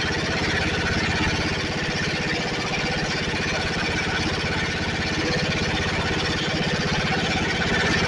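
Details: Snapper 28" riding mower, 12.5 hp Briggs & Stratton single-cylinder, hard-starting: after coil grounded by screwdriver, restarts and settles into steady, even putter about four beats a second, no misses or surging. Owner suspects wiring short or seat switch, not key switch.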